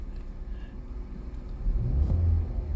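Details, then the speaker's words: 2020 Hyundai Tucson 1.6 GDI turbo, about 100k km, towed in running poorly with no check engine light: low uneven rumble, lumpy stumbling beat, lifts on a brief rev; misfire with rough idle, cause (coil, plug, injector) not yet known. "Oh, I felt it. Yeah, it's feeling that misfire and that rough idle."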